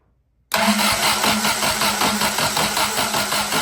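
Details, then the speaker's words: Willys F134 engine that sat for years, flooded with fuel spilling out the top: cranked with ignition coil disconnected, steady rhythmic starter churning with even compression pulses and no firing. "Let's uh let's start it again. And we don't have the coil going, so it's just going to crank over."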